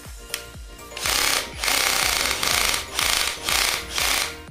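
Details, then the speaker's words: Bosch GSR 120-Li cordless drill, about six months old, after repair: it had been noisy, with a broken gear or dried grease suspected, and the gearbox was opened and regreased; short trigger bursts give a smooth, even whir, no grinding, running normally. "अब एकदम बढ़िया चल रही है और मस्त आवाज़ करेंगे तो आपने देखा यह बढ़िया चल रही है"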